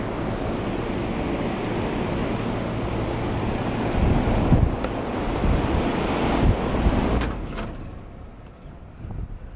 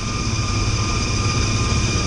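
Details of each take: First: Rooftop commercial AC condenser running in cooling mode on a cold day: steady fan rush with low hum, no knocks or squeals, sounds normal; the reported high-pitched noise came from a nearby ventilation system instead. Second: Rooftop kitchen exhaust fan on a commercial building, cold day: steady thin high-pitched whine over the fan's low rumble at start-up, bearings running dry; a Zerk fitting shows it needs grease.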